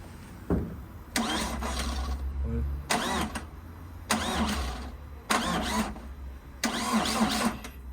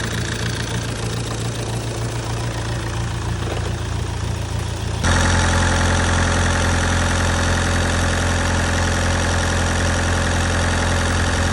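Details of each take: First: Vauxhall Astra H van, Z19DTH 1.9 diesel, first start after top-end repair for jumped timing: short, sluggish cranking bursts that never fire; owner suspects a flat battery, with the mass sensor also found unplugged. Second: Astra H van, Z19DTH 1.9 diesel (converted from 1.7), after top-end damage repair: steady, even diesel clatter at idle with firm low rumble smoothing after a step up; sounds healthy.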